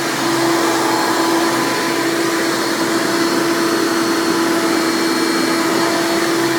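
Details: 1996 Hoover Legacy (Elite Supreme) Dirt Finder U5103-930 upright vacuum, direct-air fan motor, running: loud, steady high-pitched scream holding one even pitch, no grinding or wavering; healthy old Hoover motor at full speed.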